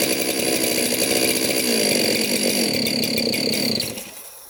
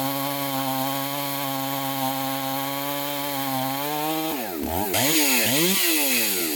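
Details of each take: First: 372 chainsaw, carb jets fully open, sprayed at the base gasket: high buzzing engine holds briefly, then sags and dies within a second; air leak at the base gasket. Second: Chainsaw after bench repair, test cuts, seemingly mild port job: crisp steady high scream at full throttle dipping and recovering smoothly through each cut; pulls strongly, best running saw, may need fine tuning or less aggressive chain.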